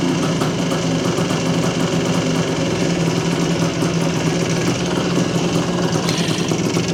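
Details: 1978 Yamaha IT400 two-stroke, freshly revived, restarted after idle judged too low: steady buzzy idle with even low thrum, no misses or knocking; normal idle.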